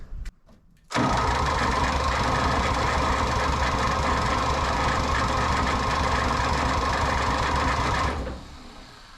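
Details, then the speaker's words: 1960 John Deere 1010 tractor that would not run, starter wired to 24 volts in series to crank faster: even cranking at about four compressions a second, never fires; starter smoking. "certainly spinning over [Applause] faster doesn't sound good either ooh and the starter's smoking"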